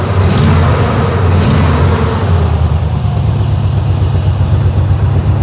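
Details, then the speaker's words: 1956 Chevy Bel Air V8 hot rod after an FST carburetor was swapped for a different carburetor: deep, lumpy rumble stays strong and even through throttle blips with no stumble or miss; it now has throttle response; normal throttle response. "okay does it feel better so far so far it's actually got some throttle to it"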